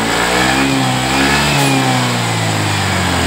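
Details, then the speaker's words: Yamaha Mio 125 after fix for ticking (ngelitik) noise, with new cylinder block and piston: engine revs up cleanly, pitch climbing and settling smoothly with no ticking or rattle; sounds healthy, problem fixed. "Kita kunci on, kita hidupin. bersih ya teman-teman. Berarti fix untuk Mio 125 yang bunyi gemelitik."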